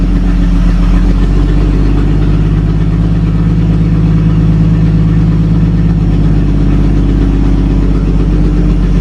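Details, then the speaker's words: 1937 Talbot saloon 3.2-litre six-cylinder, first run since 1976 with fuel system temporarily bypassed: steady, even low idle with a smooth, unchanging beat, no knocks or misses; slightly smoky, oil pressure about 40 at idle, 50 with revs. "so she runs a little smoky as you'd expect oil pressure okay"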